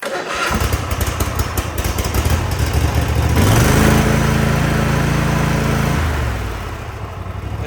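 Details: 2024 Cub Cadet ZT1 54-inch zero-turn mower started with both steering arms pulled out, as it won't crank with them in: brief starter churn, then the engine catches and settles into a steady, even run with no misses. Normal, clean start.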